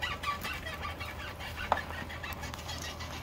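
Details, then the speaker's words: Tesla Model 3 with 70,000 miles on a lift, wheel rocked by hand: irregular creaky squeaks and chirps from a dry front upper ball joint with no grease fitting. "all right so we have the Tesla up on the lift and we basically figured out that it is the upper ball joint and I can kind of show you that I'm going to hug the wheel so you can hear that"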